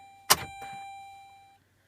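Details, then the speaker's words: 2007 Saturn Ion, cold start attempt after sitting: one sharp click, then a chime fading to silence, starter not turning; battery dead or too weak, later loose wiring suspected. No crank. "Well, she's either dead or she's just so weak that it won't crank it."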